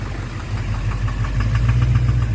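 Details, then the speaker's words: 2009 Chevrolet Duramax LMM dually diesel: loud regular clatter about seven beats a second over steady idle; knock source unknown, suspected injector knock or cracked flex-plate, still being diagnosed. "Yeah, because with the tranny being out at 5,000 miles estimate, like, what's going on? Why is this bang going on? What's the knock?"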